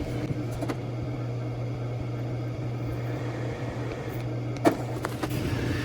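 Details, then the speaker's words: Power Mac G5 2.7 GHz Dual, powered on after a failed cooling calibration. A low steady hum with light clicks and no rattle or whine comes from the fans and pump, which run quietly. "it runs pretty quiet this is it's not too bad"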